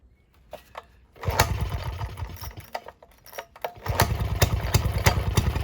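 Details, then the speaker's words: Villiers Marvil two-stroke engine, first run in about six years, on choke then half choke: catches into brisk slightly uneven popping, firing steadily with no mechanical knock; owner notes little smoke; normal running. "this will be if it starts it's first run in roughly six years she fires let's put half choke"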